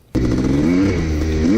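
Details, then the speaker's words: 1987 Yamaha YZ490 two-stroke after carburetor tuning (air mixture screw adjusted, needle clip moved to top to lean mixture) to fix bogging, riding through first to third gear: sharp crack into hard, clean rising revs, more responsive than before. "basically I'm just flipping the Prado first second and third gear and as you guys see it's a lot more responsive it's when you flip it it actually accelerates fast as before"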